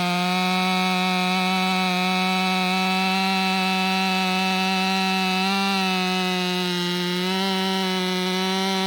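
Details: Ported STIHL MS500i, now fitted with a MaxFlow air filter, throttle response noted as snappier than stock: a steady high howl through the cut, sagging slightly and recovering, with the dogs held back. Healthy, pulling hard.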